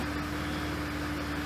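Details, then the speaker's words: 1998 Ford Ranger 4.0 V6 with about 230,000 miles, a slight cylinder-four misfire, idling in gear with foot on the brake: an even, steady hum with no major dips. The idle is smooth enough. "that's what it in gear that's pretty smooth there's no major spikes you know it's good enough forward stuff that's not bad at all really for a little six-cylinder alright"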